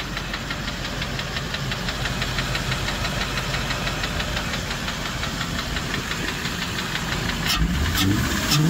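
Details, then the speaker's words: Land Rover engine idling warm, silent when cold: steady light ticking knock about twice a second from the top end; new lifters fitted and bent parts replaced but knock remained; excessive play found in worn-out camshaft, the cause. "Przyjrzałem się temu dokładnie pokręciłem sobie tutaj kluczem ten wałek i co wyszło że tutaj Czekajcie muszę to jakoś wam przybliżyć nie będzie to łatwe tu które to kurde jest zobaczcie jaki tu jest luz wałek rozwalony jest na bank i to stuka"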